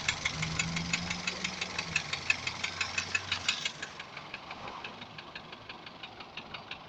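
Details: Daihatsu 1.3 turbo engine at idle: sharp, even metallic ticking about three times a second over the idle; engine knock, cause unknown.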